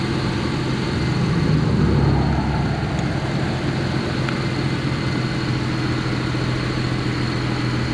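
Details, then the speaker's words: Vehicle that stalled on the roadside that morning, restarted and left warming for several minutes; coolant found full to the top. Smooth, steady idle holding an even low rhythm without stumbling or dying; normal idle. "And it's running fine. It's been several minutes."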